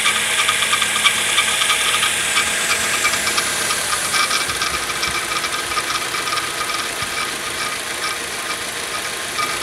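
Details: Suzuki engine recorded under the bonnet: fast bright metallic rattle, about three clicks a second, over a faint engine; the engine was turned inside-out and the cause was still not found.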